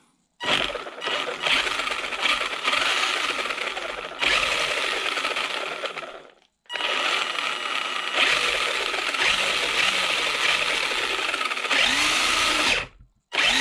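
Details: Maverick Phantom XT 1/10 RC truck, bench test after motor refitted and gear mesh reset, sand and debris suspected of causing rubbing: two bursts of high even motor whir with light rattle, no grinding or catching; drivetrain runs freely.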